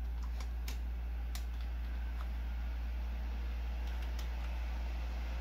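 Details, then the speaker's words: Old Pentium D 3 GHz desktop, suspected ~4,000 rpm fan, running warm: constant loud low drone and rushing air from a fan spinning flat out, no pitch change; fan working hard, overheating suspected. "running a bit warm i imagine that's one of those uh i think it's a 4 000 rpm fan that they put in these"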